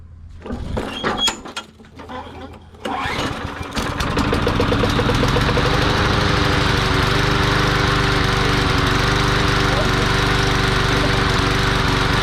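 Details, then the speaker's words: Curbside-found lawn mower, primed and started: a few pulls catch, then steady slightly lumpy drone; running rich, jets sound clogged, carburetor needs cleaning; running rich. "sounds like the jets are clogged up on it that's all we got to do is clean the carb [Applause] yeah it's it's running rich so we got to clean the carb out"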